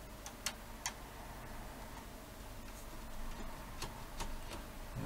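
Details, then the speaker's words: Panasonic DMR-EX99V VHS/DVD/HDD recorder, VHS mechanism damaged by a remote battery cover pushed inside: quiet hum with scattered irregular clicks as it tries to load, tray out of position, mechanism out of synchronization. "it certainly sounds like the mechanism is out of synchronization in some"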